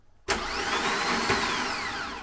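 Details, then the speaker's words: Time Attack Clio, original starter motor dead (clicking), replaced with one taken from an Audi TT; bench-tested, it gives a sharp start into a smooth, steady whirring spin that slowly winds down, working fine. "it bloody works so let's put that thing in that thing and let's start it right"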